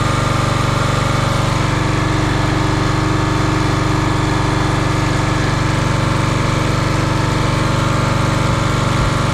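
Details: Champion 27-ton log splitter, 224cc engine, stored outside probably over a year, after a hydraulic fluid leak was fixed: steady even small-engine drone at constant speed, no surging, knocks or rattles; running properly.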